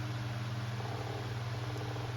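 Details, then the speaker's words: Kuo Horng 9-inch KH-901 oscillating desk fan, dropped, bearings cleaned and oiled, on high speed: steady motor hum with rhythmic knocking in the fan head from shaft end play, as the old thrust washer wasn't replaced. "you can hear you can hear it in the fan head now kind of knocking back and forth you might want to try to put maybe if I put another thrust washer in there but I didn't replace the old one so it does have a little more play in it"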